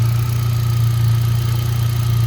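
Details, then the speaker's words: 2018 Hyundai Accent gasoline engine, cranked but wouldn't start, now fixed by swapping the fuel pump relay with the horn relay: a smooth, even idle with no misfire; charging at 14.3 V. "goods naman. Walang palyado. Okay naman yung makina."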